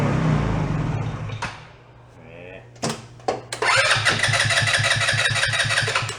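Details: Two-passenger CVT ATV, believed 150cc, sat unused for a while; after battery charge and starter fluid, starter churns steadily about three turns a second, never firing. Carb not getting any fuel; water in carb also possible.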